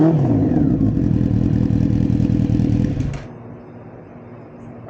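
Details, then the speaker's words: 1992 Honda Nighthawk four-cylinder with new Delcavic 4-into-1 exhaust, baffle in, coils refitted: deep even rumble with crisp throttle blips, then quiets; not over loud, engine and exhaust healthy. "so that's the exhaust with the baffle still in it. I think I'm going to leave the baffle in it. I like the way it sounds. It's not over loud, but has a nice sound to it."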